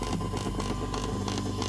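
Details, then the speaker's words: Earphones in a PC front-panel jack while a phone charges (at 18%) from a front USB port: low hum with hiss pulsing about three times a second; interference as the phone's charging circuit regulates the current it draws. "이 휴대폰의 충전 회로가 받아들이는 전류 유임 양을 조절하는 소리입니다"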